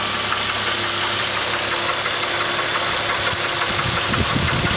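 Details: 2006 Chevrolet Trailblazer 4.2 Vortec at idle: a loose, uneven knock about three per second over the engine note, source not pinned down. The owner suspects a water pump bearing or a misfire on cylinder 5 or 6; neither is confirmed.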